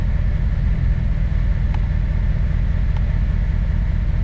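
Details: 2008 Corvette C6 LS3 sold with rough idle: low, lumpy idle that rises and falls; injector test shows cylinders 5 and 7 not working, owner also suspects bad gas; rough idle, misfiring.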